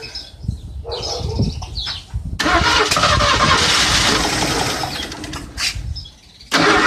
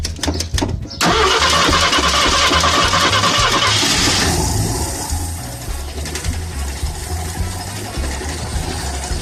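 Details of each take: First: Ford Granada that sat almost 20 years, cranked after fuel filter work: long cranking, then brief stumbling catches that die out; not getting fuel from the tank, which smelled of varnish; fuel starvation, temporary fuel system planned. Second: Ford Granada that sat almost 20 years, fuel pump pressure to the carburetor checked and carburetor clean and clear; brief cranking, then it catches straight away, flares and settles to a steady even idle: normal start and idle.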